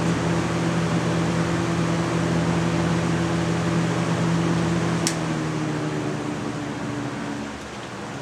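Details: 1998 Lasko 3700 Ultra Force 20-inch box fan running on medium: steady, even whoosh with a smooth low motor hum, no ticks or rubbing; running normally.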